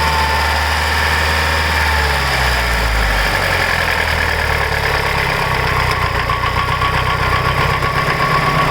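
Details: Evo 8 after a complete head rebuild: resurfaced head, GSC zero-tick lifters, new springs, retainers, valves and seals, cut seats, Mobil 1 15W-50 oil; light ticking about four per second at idle, lifter tick suspected.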